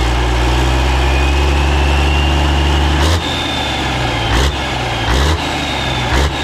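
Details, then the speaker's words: Caterpillar 3406A diesel started after long storage, run without coolant, hand primer bypassed and fuel from buckets: deep, even idle with light throttle blips, strong, no knocking, about 50–60 psi oil pressure; normal diesel idle. "all right that was pretty cool thing runs really good it sounds really really strong i don't hear any knocking or anything crazy"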